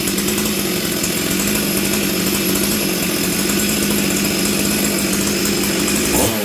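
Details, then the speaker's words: Stihl 044 Arctic chainsaw, new coil, low jet at 1-1/8 turns, high jet at 1/2 turn; burbles and blubbers at high revs with a wavering note; still rich and stumbling. "this thing still sounds Rich to me what do you guys think seems to be running better"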